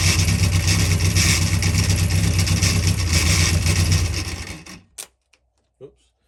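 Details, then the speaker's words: Freshly built Carter 998 engine on the dyno, carb being set up, about 80 psi oil pressure. A deep, steady, low-pitched rumble at moderate revs, even and smooth before shutting off. Sounded sweet; normal running. "Wow, well, it ran, and it actually sounded really sweet once the carb's setting up a little bit, but I think it'd be fine."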